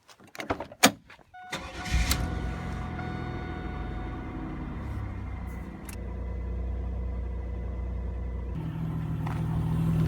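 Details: 1997 Chevrolet Camaro RS 3.8L 3800 V6 cranks, catches and settles into a steady, even idle with no stumble, after replacing the cylinder 6 spark plug wire to fix a P0303 misfire; normal idle after repair.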